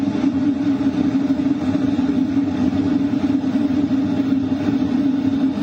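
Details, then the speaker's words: LF Bros diesel heater at 4 kW, heard inside a tent at night; mostly air-duct sound plus the exhaust pipe outside: steady even hum with a constant rush of air, no knocks or rattles; normal running. "What you're hearing right now is mostly the sound from the air duct, and also the exhaust pipe outside."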